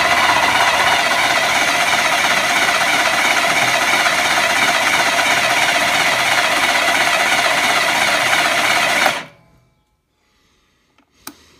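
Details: BSA Fury SS (E35SS) electric starter final test: fast, even whirring crank for about nine seconds, no slipping or grinding, clean stop; starter healthy.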